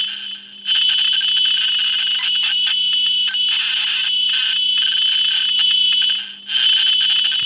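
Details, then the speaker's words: Amstrad CPC 464 cassette deck after cleaning and service: clean, steady high-pitched tape tones without dropouts or wow over a faint low hum during playback; deck plays back normally. "actually not sounding too bad really so that um the actual unit seems to work quite nicely"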